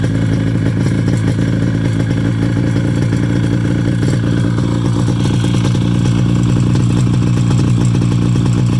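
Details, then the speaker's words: 1973 Polaris Colt vintage snowmobile, 250 twin two-stroke: steady even low burble, no misses or knocks, "just purrs"; normal idle. "Just purrs. I wish all my old vintage sleds ran as good as this one. This thing just purrs."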